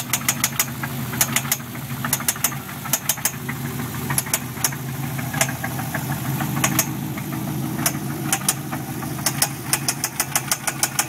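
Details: 6L V8 (L76) Holden Thunder Ute at idle: sharp knocks in uneven clusters, roughly three a second, over a steady idle rumble. The knock appeared suddenly the day after purchase; cause unidentified.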